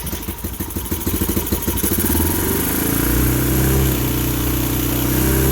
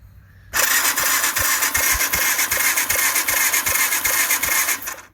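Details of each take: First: 2015 Bashan Storm 250 single, choke fully on, run from a near-empty tester tank: chuffs at idle, revs steadily a few seconds, then dies abruptly. Stall from fuel starvation; starter works fine. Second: 2015 Bashan Storm 250, started by bridging starter terminals with a tool: cranks and fires with steady chuffing beat about two and a half per second, catching cleanly; spark confirmed.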